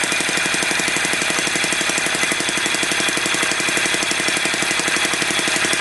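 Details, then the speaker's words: Homemade six-cycle model engine, needle possibly off: fast, sharp, even knocking about three per second; owner suspects spark firing a little too late and plans to advance it; engine knock. "Sall almost sounds like it's firing a little too late I'm gonna try to advance I'm going to advance the spark a little bit to hear if I can"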